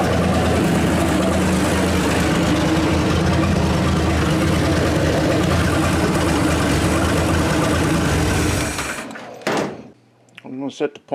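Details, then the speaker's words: 1927 Hudson revived after seven years unrun, points and carburetor to be set: old engine chugs steadily with an even beat, no knocks or misses, then shuts down; runs normally and moves under its own power. "kind of dolls car birds in a little maybe but it lives it is alive wonderful move under its own power"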